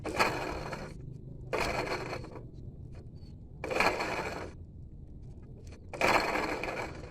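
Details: Dongfeng C37 minivan engine, water pump pulley spun by hand with water splashing seen near it: four dry, gritty grinding rasps, one per spin, with quiet gaps between. A worn water pump bearing, an external component rather than internal engine noise.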